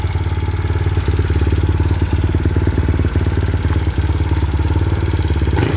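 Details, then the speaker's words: Mio i 125 M3 scooter idling just after fitting an RVN 28/24 big-valve head with the stock springs and retainers transferred. A light, regular tick on each beat comes from valve clearance deliberately left loose on the new install until the valves seat. Not yet tuned or road-tested. "Ang nangyari pala kanina, tumukod yung valve clearance. Kaya pag bagong kabit, hayaan nyo muna na medyo maluwang. Kaya medyo malagitik."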